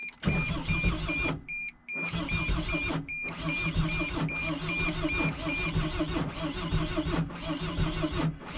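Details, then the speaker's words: Mercedes Sprinter van (starter fits 2004-06), failing starter despite good battery and 200 A boost: slow, labored cranking that stops and restarts about every five seconds with short silent gaps; starter motor failing, not the battery. "My starter seems to be malfunctioning. So you're kind of like wondering, like, what's going on here? Is this a dead battery?"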